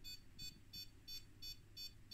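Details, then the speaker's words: Bench power supply feeding 1 V backwards into an HP 181A oscilloscope power supply: short high beeps about three times a second, the supply's short-circuit alarm; cause was a shorted capacitor across the 15 V output that heated up at 2 W. "And as you hear here, the power supply is complaining about a short."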